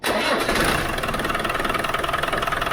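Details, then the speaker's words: Land Rover Defender 300 Tdi 2.5-litre diesel, cold start after oil change and new oil, air and diesel filters, fuel system bled: fires straight away into even diesel clatter, no stumble or misfire, oil light goes out; normal cold start. "fir up straight away I must have got all the air out just check the oil lights gone out yeah oil light has gone out"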